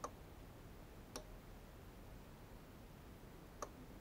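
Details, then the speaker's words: Remote-controlled relay box on a 12V wall-wart: three sharp clicks at uneven one-to-two-second gaps as relays switch on their own; owner suspects high-frequency interference from the FLIR camera, unconfirmed. "Yeah, this, it seems that my camera has some high frequency noise that lets the thing go crazy. Not touching the remote control, it's just switching from the camera."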